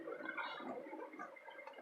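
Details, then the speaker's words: 2014 Hyundai car driving through deep flood water, up to about four feet: quiet, uneven wet bubbling and gurgling with almost no engine rumble, the exhaust outlet submerged and blowing through water. No stalling, no damage. "he car so pissed off it sounds like a motorboat with good reason because it is"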